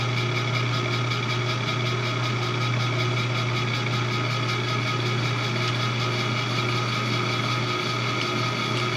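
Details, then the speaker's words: Lathe doing a light offset-turning cut on a bracket for an ACRA mill: steady gear whine and hum over an even motor drone, no knocks or chatter. Mostly conduction noise through the machine, little ambient room noise; normal gear whine. "So you might notice what sounds like a lot of gear noise and a lot of whining. That's almost all conduction noise. In the room itself, as far as ambient noise, there's not very much at all."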